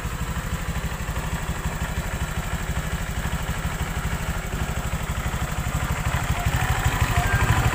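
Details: Honda Vario 125 LED scooter: rough rapid clatter at the rear, about three beats a second, growing louder as throttle rises; caused by a loose right-side air filter box, CVT and rollers checked fine; fixed by packing with inner-tube rubber.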